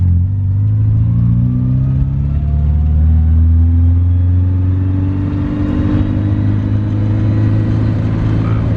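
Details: Starlet exhaust heard from inside the car while driving: a deep, steady drone with the engine pitch climbing slowly as the car pulls along, smooth and even. Normal exhaust note.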